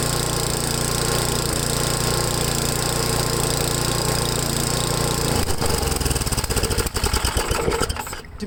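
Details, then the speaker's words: Ariens 8 HP Tecumseh single-cylinder with new HIPA carburetor, first start-up at half throttle: steady thrumming beat that stumbles and surges near the end, sounds slightly lean; high-speed mixture screw to be adjusted gradually. "it sounds like it's running a little lean"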